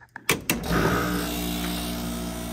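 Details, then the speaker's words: Vintage GE room air conditioner after swap to a Matsushita compressor with new filter dryer, charge possibly slightly high: a couple of clicks, then heavy buzzing hum and vibration from badly worn compressor mounts; unit still runs and cools. "As you can hear, those compressor mounts are in very sorry shape. But it runs and it gets cold."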